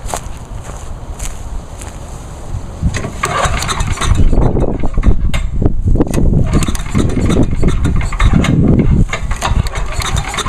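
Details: 1986 Lawnboy 8461 Commercial, oil checked, stabilized fuel, on choke at half throttle: uneven bursts as it fires and catches, then runs steadily with no knocks or misses; starts and idles fine.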